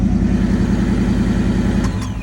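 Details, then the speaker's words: "Krack Hawk" engine after 13 years sitting, 2 quarts fresh oil, bad fuel mixed in: as it warms, idle rises and holds steady around 1200 rpm instead of settling; recurring warm idle surge, cause unknown. "It's been doing this whenever it starts to get some temp in it. It starts to rev up. I thought it was done doing that. But yeah, it's like revving up like 1200 RPM."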